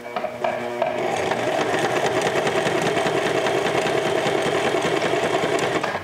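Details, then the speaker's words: Sewing machine after cleaning, lubrication, oiling and reassembly, run on the pedal: quick, even ticking about three stitches a second with no clatter or binding, much quieter than its earlier loud malfunction; normal running. "oh that's beautiful sounding i had no idea how bad it was i'm glad he could hear it oh that's beautiful it works"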